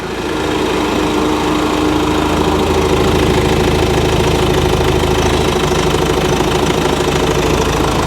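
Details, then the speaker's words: Nissan Navara diesel, just revived, idling with battery voltage issues (dash lights flashing; battery suspected dead): steady, even clatter at about three beats a second. The engine sounds good; normal idle. "The engine sounds good. It really does, actually."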